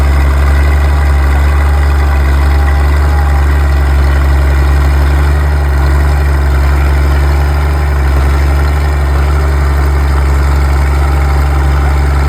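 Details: Old D6 dozer diesel being warmed up, smoking a bit, while a military D4 waits on an oil cooler repair. Deep, loud, even idle with a constant low throb, no knocking: normal idle.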